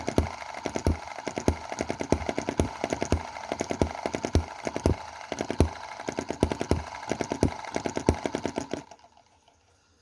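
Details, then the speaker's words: Small Chinese EM2/M19 hit-and-miss single-cylinder gasoline engine after advancing valve timing one cam tooth. Sharp regular pops with the odd skipped beat, then it cuts out; misfire is reduced but intermittent, and timing may need another tooth. "however there is less misfire so let's just check so that's coming around to the start of the exhaust stroke"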